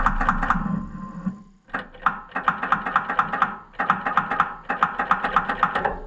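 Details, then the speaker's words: Oliver 1250 gas tractor (Fiat) cranking slowly even with the battery at a good 12 volts and a jump pack on. The starter labours in short uneven bursts, about four strokes a second, and the engine never catches. "that is terrible it just you can hear it just like it's trying to grab and go but it just doesn't have the guts anymore and that really is bad"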